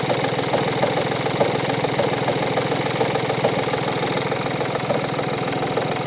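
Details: 2015 VW Polo 1.4 TDI diesel, 30k miles, front-end crash 3 years ago, idling after startup: loose, uneven clunking clatter that stops when the clutch is depressed; failed dual mass flywheel, replaced with new clutch.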